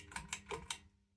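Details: 1994 SMC DC-42 42-inch ceiling fan on low speed: four sharp light ticks about a fifth of a second apart over a faint hum, then quiet.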